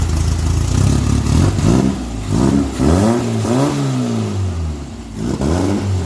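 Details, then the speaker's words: VW 1600 turbo flat-four after new turbo carbon seal and progressive carb tuning: revs up and settles back in smooth, even blips, steady firing, no knocks or rattles; healthy and responsive. "Yes, I destroyed the belt on my test run, but sounds good. The old Progressive's working."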